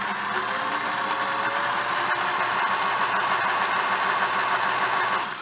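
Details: Singer Model 628 Touch & Sew after a bobbin case fix; its positioner arm can rise at speed and let the bobbin case jam, but it is serviceable. Fast, even whirr with light steady chatter, no knocks or jamming clicks, winding down at the end: running smoothly.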